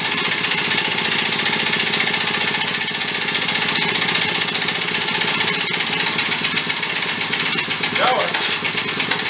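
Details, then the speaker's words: Benelli Andretti Z50 two-stroke scooter with about 500 miles, long stored, primed with fuel: fast, rough cranking chatter that never becomes a running note; cranks but won't run, crankcase possibly full of oil or top end possibly damaged. "so yeah so something else is going on uh either the crankcase is just really full of oil and it's pumping all that out or maybe something happened to the top end where it's uh possibly grenaded itself a little bit"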